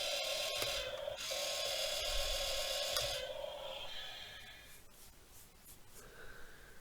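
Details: 1:28 scale Rui Chang QY2302 RC wheel loader with cheap plastic toy motors: a fast, fairly even ratcheting clatter, about four clicks a second, then fading, as the steering gear slips instead of engaging; cause unconfirmed.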